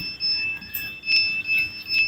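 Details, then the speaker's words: Polytron Zero Matic automatic washing machine: a high warbling alarm tone pulses about twice a second and the program won't start. The fault is likely in the program PCB power supply, a damaged electrolytic capacitor or open transformer giving an unstable 5 V. "Ini keluhannya tidak mau menyala ya, dan disertai bunyi. Nah, keluhannya seperti itu, ada bunyi ya."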